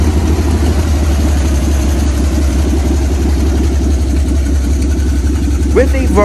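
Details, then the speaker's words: 1955 Dodge M152 command truck after sitting 15 years, with batteries put in, fresh fuel and a fuel line run to the engine: fires and settles into a steady, even low idle with no knocks or misses; normal idle after long storage. "the engine came to life with the engine running we were good to go to move it off healed"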